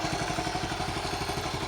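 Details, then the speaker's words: 1974 Honda C50 single-cylinder, just started after 5 months sitting, cold: quick, even putter with no misses or knocks; steady, healthy normal idle. "Great, isn't she? Honestly, that's after 5 months. She's a lovely old thing."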